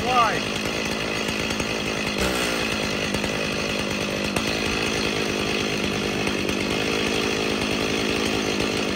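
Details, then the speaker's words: Stihl MS 290 chainsaw, somewhat warm, running rough: uneven buzz with wavering, surging pitch instead of holding steady, poor trigger response; symptoms of bogging and stalling addressed by carburetor rebuild. "so you see it's it should not run in smooth and you'll see it doesn't have really good trigger response"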